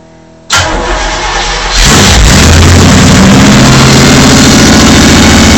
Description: starting our 454 chevy for the second time only after rebuilding in the argosy motorhome, the first time it started so quick it scared the pants off us! there's no exhaust system so it was a bit too loud for the phone